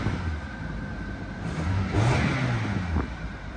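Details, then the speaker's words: Flip car at a Copart auction yard, AC not working and airbag light on. Blipped throttle rises and falls cleanly with a smooth, even note and no knocks or rattles; the engine sounds healthy. "Engine sounds healthy."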